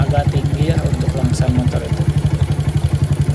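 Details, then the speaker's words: Honda CB100-based custom with a CPO PE 26mm carburetor, after a hose outlet near the manifold was plugged and the idle raised. It starts easily and idles with an even single-cylinder thump at about four beats a second. Slight smoke noted, suspected valve seals. "Jadi setelah saya sumbat itu untuk putaran mesinnya gampang banget hidupnya dan juga langsamnya enak."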